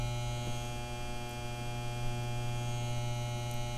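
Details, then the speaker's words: 12 V battery charger, on 12 V 2 A setting, after replacing its diodes that had caused loud humming, vibration and heat: only a soft, steady mains hum, no loud buzzing or rattling; charger works normally. "seems like it's working pretty good it's um it's not making that noise either if you could tell you notice it's not humming real loud or"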